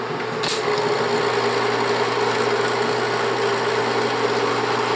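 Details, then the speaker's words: Bell & Howell Autoload 8mm film projector, lamp off, switched to reverse rewind: steady even mechanical whir with fine clatter, no knocks or speed wobble; rewinding normally. "Ok, vamos a apagar la bombilla, detenemos, le vamos a dar ahora que corra hacia sentido contrario del reloj."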